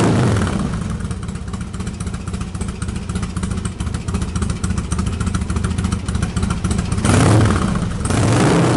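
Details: Harley-Davidson Twin Cam, carburetor pilot jet changed from 48 to 50 after running too lean, cold start with enricher off after sitting all day: catches quickly, steady even V-twin lope, clean throttle blips, no popping or stumble; normal cold start.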